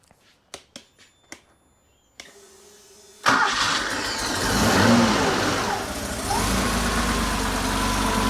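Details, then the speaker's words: Air-cooled Porsche 911 engine after a full rebuild, test-run on an engine stand; a few clicks, a short crank, then it catches at once and settles into a steady, even idle with no knocks or misses; normal idle. "Anyway, I'll start it up because I know you're sick of hearing me. So we'll start it up and see how we go."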